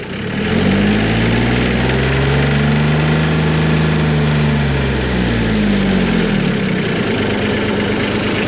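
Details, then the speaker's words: Cub Cadet 154 Lo-Boy repowered with a Mitsubishi L3C three-cylinder diesel: rises smoothly from idle to 3,600 RPM and eases back down, even and extremely clean with no knocks or misses; good running machine. "right, so that was 3,600 RPM. As you can see, it was extremely clean. It's a really good running machine."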